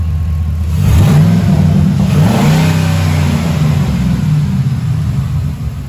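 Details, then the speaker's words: 2007 Ford F-150 V8 after spark plug change: clean rev and smooth even idle rumble, no misfire or cutting out. "So as you can hear, no misfire, no cutting out. Everything's doing great."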